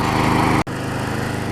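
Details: Older Troy-Bilt push mower, Briggs & Stratton 5hp Quantum, found not running, after cleaning the main carburettor jet and removing self-propel parts: steady even buzz at constant speed, no surging or hunting; runs smooth and healthy.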